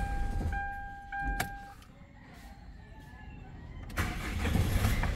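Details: Hyundai Starex diesel with a no-start problem, after a scanner-guided repair on a home service call: a few seconds of quiet, then the starter catches and the diesel fires straight into a steady rumble; starts cleanly.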